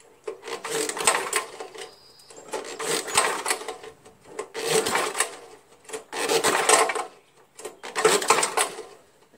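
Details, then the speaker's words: Old Jacobsen Imperial 26 two-stage snow blower with 6 hp Tecumseh engine, spark plug out, recoil pulls: rough rattling clatter about once a second with quiet gaps; owner suspects broken connecting rod, something loose inside, compression still felt. "I think the connecting rods busted I can hear something switching around in there like it's busted here yeah it's definitely something busted in there"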